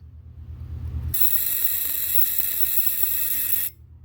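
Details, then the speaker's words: 1979 Fiat 124 Spider dash warning buzzer: steady shrill electric buzz for about two and a half seconds, then it cuts out, heard when a ground wire is reconnected during horn and wiper wiring work. "why it's disconnected nobody wants to hear that your knowing ass buzzer"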